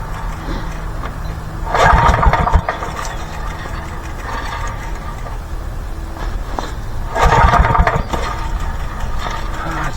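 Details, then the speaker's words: 1985 Briggs & Stratton generator left outside in rain for years, gravity-fed from boat tank: pull starts give short ragged bursts of firing that fade; engine catches briefly then dies. "wow oh there's a sign of Life there though"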